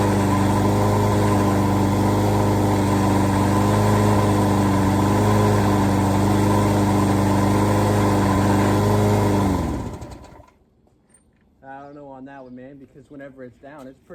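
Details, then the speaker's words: Walk-behind mower engine runs steady and even for about ten seconds, then shuts down; owner doesn't think the self-propel works at all, suspecting the wheel drive is stripped or disconnected. "I don't think the self-propelling is working at all I feel like either what turns the wheel is stripped or not connected"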